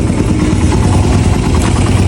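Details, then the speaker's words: Raider 150 carb single-cylinder after proper valve shim adjustment, stock CDI and coil: steady low putter at idle, even firing, no top-end ticking. It ticked loudly before repair; now quiet, normal idle. "Tahimik na yung makina. Bago sa atin dalhin to, ang lakas ng lagitik."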